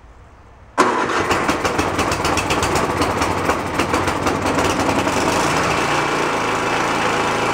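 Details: Free roadside snowblower started choked on fresh gas: the small engine catches, then its speed rises and falls instead of settling; the carburetor is hunting because the idle circuit is dirty, and the fix planned is removing the idle screw and blowing it out.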